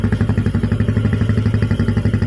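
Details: Jupiter MX single-cylinder idling after a full rebuild: new Indopat block set, timing chain, clutch, water pump parts, conrod, crank bearings and repaired radiator. Steady, even exhaust pulses about ten a second, no knocks or misses. Healthy.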